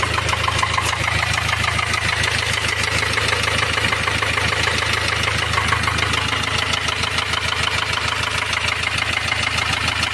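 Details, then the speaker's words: Ford Transit diesel van at idle: sharp even tapping about three times a second; rocker arm on cylinder one had fallen out, valve not working, camshaft edge slightly damaged. "o barulho é o quê um balancinho ele tava caído fora aqui ó do primeiro cilindro ele tava caído para fora não tava funcionando essa válvula aqui"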